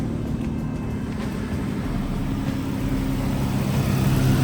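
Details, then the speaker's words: Ford Explorer V6 after repairing a misfire on cylinders 1 and 2, codes cleared: low, even engine hum with a steady beat and no stumbles, slightly louder than before; now idles smoothly on all cylinders. "już Równo pracuje Widzicie a był tylko na drugim"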